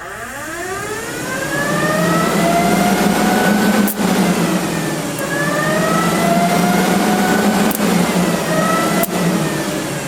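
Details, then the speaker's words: AMC Javelin with new radiator and dual electric cooling fans just installed on thicker 5/8-inch spacers, clearing the front pulley; fans spin up to a loud rising siren-like whine like an air raid, then hold steady pitch, dipping and recovering evenly; normal fan operation. "sounds like an air raids going on or something"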